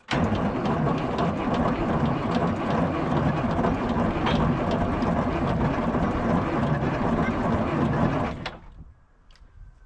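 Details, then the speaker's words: 1973 Peterbilt 352 cabover, 12V71 Detroit Diesel, not run since 1986: slow labouring crank for about eight seconds, no firing; owner suspects a bad series-parallel switch not switching to 24 volts, so it cranks too slowly. "probably not yet we're gonna have to figure out the 24 volt start here and uh it ain't never going to go like that"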